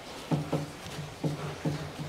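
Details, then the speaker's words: 2013 Mitsubishi ASX, 1.8 petrol, CVT, front-wheel drive, 220,000 km, on lift with wheels off: dull paired clunks from both sides as the stabilizer bar is rocked by hand; worn front sway bar links, replaced. "этот стук именно отсюда с одной стороны и с другой стороны"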